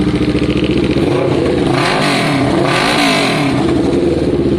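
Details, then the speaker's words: Kawasaki ER6n parallel twin, first start after sitting, with new spark plugs, airbox removed and a new battery fitted: revs up and down with a ragged, clattery exhaust note and uneven firing while old fuel left in the lines flushes through; cause unconfirmed. "That's quite a sound. Whoa! That is quite a sound."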